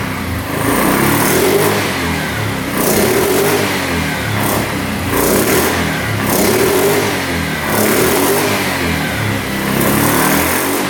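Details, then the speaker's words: 2009 Yamaha Grizzly 550 EFI ATV, which had a reported high-rev, hung-idle problem. Repeated clean throttle blips rise and fall back to idle without hanging or overshooting. The air box is not yet connected and the engine light is on, but it sounds pretty good. "It's working. Probably need the air box hooked up, but it sounds pretty good."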